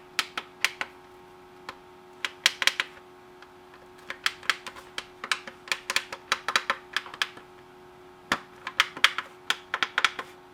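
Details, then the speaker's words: M&S Systems Model N350 music intercom master station after replacing failed bubble switches with new tactile switches: crisp, sharp clicks in quick uneven runs as each button is pressed; every new switch snaps cleanly. "now we'll go through and press each one to make sure they all click a few of them had to be pushed down on the stems a little further but now you can listen if you listen carefully i'm going to press each one"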